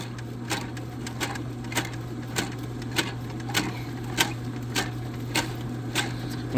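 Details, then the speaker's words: Steady drain snake motor hum with sharp slaps about every half second as the cable slaps in a clogged kitchen drain pipe; suspected, not confirmed. Check the coils aren't wrapping, stop feeding cable, and give three or four turns. "hear that really hard slap, always check your coils to make sure they're not wrapping. And also, if you keep giving it like a second in between like when it's starting to slap like that, just let the um don't shove no more cable in."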